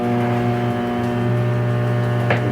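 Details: Philco microwave oven running with cover off: steady low electrical hum with buzzy metallic edge from a loose sheet-metal piece vibrating; tightening it stops the noise (oven also not heating).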